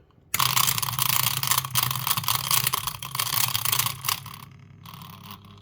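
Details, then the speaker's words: Uninstalled washing machine drain pump powered on the bench: low buzzing hum with rattly scraping chatter, jumping instead of spinning cleanly, then eventually starts; intermittently fails to start, so it was replaced. "see that and then it started so it would sometimes it wouldn't it would just keep making that noise"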